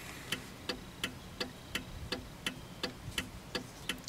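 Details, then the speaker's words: 1995 Cadillac Fleetwood left turn signal after repairing the bulb socket: crisp clicks at steady pace about three per second, no speed-up with brake or headlights on (before, it blinked fast); normal flasher. "blinks at a steady pace like the right one and when I push on the brake the speed doesn't change whereas before if I were to press on the brake it would blink faster"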